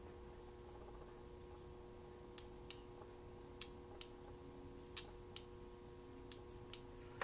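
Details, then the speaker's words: Automotive relay bench-tested with battery positive and negative on coil terminals 85 and 86: crisp single clicks over a faint hum as it pulls in cleanly each time. The relay works; 87/30 continuity was then checked with a voltmeter. "and you can hear that the relay is working perfectly"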